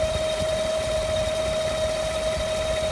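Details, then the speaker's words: 2015 GM 5.3L V8 truck, 8k miles, hood open at idle, AC and accessories off; steady piercing whine over idle like a Roots supercharger, owner says not fan noise, source unknown. "like it has a Roots supercharger on it."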